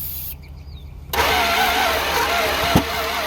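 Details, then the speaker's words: 1963 Chrysler New Yorker limousine V8 that sat since 2003, started after the backwards firing order was corrected following a backfire. It catches into a rough, lumpy run with one sharp pop and fire from the exhaust manifold. "Hey. Fire coming out the exhaust manifold. Go ahead. That's American muscle right there."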